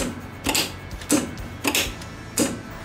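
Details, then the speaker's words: New starter motor bench-tested, positive wired directly and negative grounded: five sharp solenoid clunks with brief pinion whir, clean and even. The pinion extends and rotates to mesh with the flywheel teeth; healthy starter engagement. "un particolare non solo esce per agganciarsi al buono della frizione fa pure una rotazione in modo che i dentini si vadano perfettamente ad agganciare"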